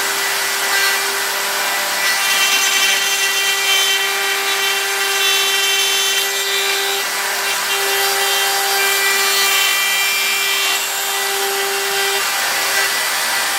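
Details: Router milling out an upper receiver: high screaming tone with a steady ringing squeal over rough cutting noise; chatter because the end mill sticks too far out, even though it is supported by a bearing.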